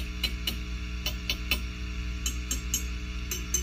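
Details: Fender Custom Shop '57 Twin tube amp, all controls full up, harsh when overdriven. Tapping these tubes gives only short dry clicks over faint mains hum, no ringing or howl, so they are fine; two other preamp tubes were microphonic.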